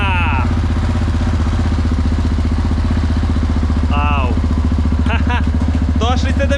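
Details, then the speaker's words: Crashed motorcycle being repaired, running on German fuel of unknown age. A single-cylinder idle with an even, rapid low putter holding steady, no knocks or misses; running fine. "Kako vam se sviđa? Meni se čini da radi dobro."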